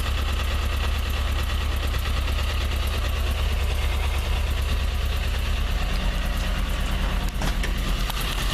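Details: Toyota 4A-GE 20V blacktop engine at cold idle: fast light ticking about three per second from the exhaust header area, disappearing at high revs, with smoke on high revving; cause unknown.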